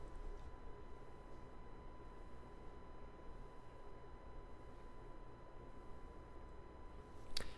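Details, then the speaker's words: RODE NT1 5th Gen condenser mic on USB-C, standard settings, no post-processing: quiet steady low hum with thin whine heard in silence, absent on the XLR connection; unit returned from repair also has low volume and shake glitches. "yep so it has that weird humming sound which if you would go back to the footage that I had for the um XLR version it did not have that"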